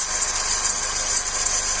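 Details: 2008–2009 G5 engine at idle: constant high-pitched rasping hiss with a light rattle, heard near the timing belt and tensioner; a worn belt idler/tensioner bearing.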